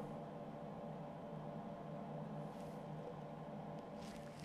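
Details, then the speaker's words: MIG welder with voltage too high and wire speed too low: steady hiss and hum of shielding gas from the nozzle with almost no frying-bacon crackle, giving wire burnback. "so what are we here not a lot didn't hear that frying bacon sound we can really hear the majority of waiting here there was the shielding gas coming out of out of the big gun at the nozzle that's mostly what you're hearing their you're not hearing much of that frying bacon"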